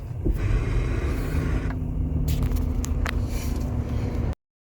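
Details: 2015 Toyota Highlander Hybrid after replacing its nine-year-old 12 V battery (old read 10.5 V, new 12.3 V), which had caused no-start faults: low, even engine rumble with no misses, knocks or stumbles; running smoothly.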